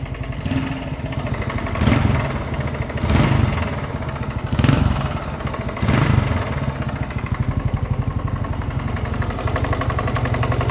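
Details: 1981 Yamaha XT 250, just bought: the single-cylinder engine runs with a knocking note that swells roughly once a second; the owner does not know the cause.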